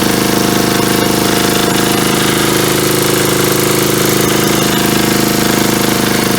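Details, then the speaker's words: 1977 Agway 1500 W permanent-magnet generator, bought at auction, oil topped up with 30 weight, diaphragm fuel pickup: steady, even beat at constant speed with no misses, knocks or hunting; runs healthy. "longer spe yeah so it sounds like it runs pretty good there I just put gas in it there and that diaphragm seemed to pull it out of that tank so that's a good"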